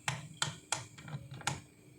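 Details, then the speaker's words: Philips blender speed selector knob turned by hand: crisp separate clicks about four in two seconds; detents engaging normally, whereas turning silently or slipping would mean a broken switch. "Oke seperti ini ini kalau normal diputar dia berbunyi seperti ini"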